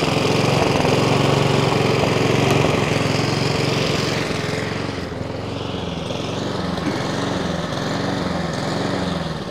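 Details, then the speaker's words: Three-week-old Honda Izy mower, GCV145X engine, used twice, auto choke confirmed off: after about a minute, speed swells and sags roughly once a second, never settling; hunting from dirty carburettor, fixed by carb service. "so yeah that's the the issue we're getting there is hunting there so I say once it takes about a minute to get going and then the hunting does start"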